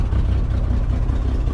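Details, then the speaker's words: Chevrolet C10 V8 at normal idle after an exhaust manifold leak fix: deep, even burble with steady pulses, no ticking or puffing at the front; used to drone badly, though a misfire remains, suspected from a cheap no-name HEI. "used to be that it would just blow your eardrums out or drone really bad in this general area which is cool"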